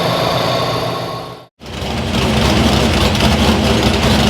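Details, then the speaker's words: Strong, even small-block Chevy V8 running with steady firing and no stumble, popping or misfire after switching to a working carburetor; it sounds different than before and healthy. "look at that see good carb carb that works yeah there you go car man imagine that e sounds even different too it does yeah this thing sounds good"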